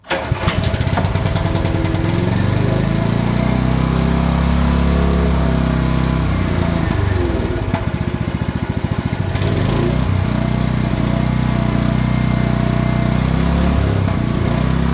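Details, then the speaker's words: Champion generator after sitting a couple of years, stale fuel cleaned from the carburetor, run at half choke: cranks, catches and settles into a steady, even drone with only a brief dip. Normal running. "That was it. Cracky fuel in the carburetor."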